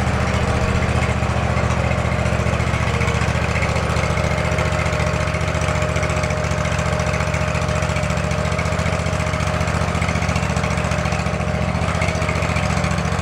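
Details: Field-find riding lawn mower's small single-cylinder engine, just revived and now drawing fuel from its tank, runs at a steady, even low chug with no surging or sputter; oil smell and smoke noted earlier, engine sounds healthy.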